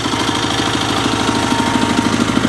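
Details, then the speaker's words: Sears SS/16 twin tractor with Onan engine, throttled down to idle in neutral: a steady low knock on each firing cycle. The owner is unsure whether it is normal for this engine or a rod knock. "pretty much I'm not going to judge on that knock. I'll let YouTube judge for me. So if you guys could weigh in on that sound that the Onan engine is making, is that normal for a BFMS? Is that a rod knock? I really don't know."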